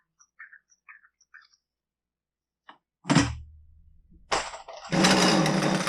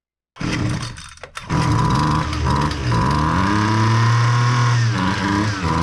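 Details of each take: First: Husqvarna 128L string trimmer, won't start complaint, not fixable by carb adjustment; pull-start bursts then rough burbling surging run, flooding and running rich with fuel from muffler; burnt hole suspected. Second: Husqvarna 128L string trimmer after carburetor replacement for flooding no-start: small two-stroke fires after a brief stumble, then buzzes and revs cleanly without bogging; runs normally.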